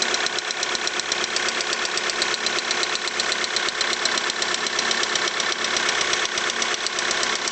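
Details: VW Polo 6R 1.6 TDI diesel at idle: sharp, fast, fairly regular ticking knock over a thin, hissy background; strange engine sound, cause undetermined.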